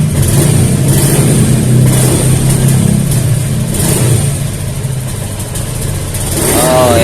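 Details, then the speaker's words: Honda Beat FI scooter with a new fuel pump rotak: steady normal idle, but a sudden throttle blip makes it sag and stumble before picking up, from weak fuel pressure starving the injector. "Nah kalau untuk hidup hidup normal ya cuman kalau gas kita bejek secara spontan nanti dia ee kerasa ya tuh tuh"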